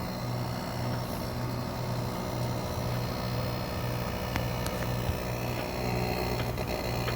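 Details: Midea inverter air conditioner outdoor unit running normally and quietly after a folded thick rubber piece was wedged in to stop its noise; steady low hum with no rattling or buzzing from the mount.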